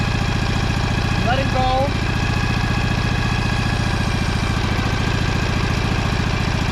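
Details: Husqvarna 2346XLS hydrostatic lawn tractor, after freeing up the transmission and brake pedal and fixing the choke cable: the V-twin settles into an even, steady chug with a faint belt whir. It runs smoothly.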